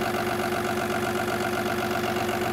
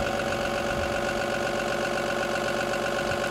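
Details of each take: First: Cummins B6.7 EPA 2017 diesel engine training bench with EGR, DPF, SCR at about 1,000 rpm PTO idle: uneven, lumpy beat under a steady whining tone, misfire induced by a fault box. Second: Cummins B6.7 EPA 2017 diesel engine bench trainer with EGR, DPF, SCR, PTO on and idle raised to about 1,000 rpm: steady, even, normal diesel clatter before faults are inserted.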